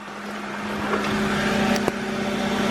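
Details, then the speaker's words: Salvage-title Copart BMW idling after oil change with about 6.5 quarts of 5W30 full synthetic, checked for leaks. Steady, even hum with no knocking, ticking or grinding, one stray click; normal healthy idle. "Let's step out, make sure there's no leaks. Everything sounds healthy, which it does."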